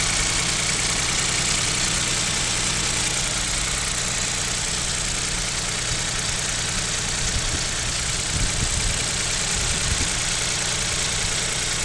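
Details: KIA Picanto 2, 1.0 G3LA, cold start at about -7°C: fast, uneven light knocking over hissy background; owner suspects piston knock and asks about overhaul, unconfirmed.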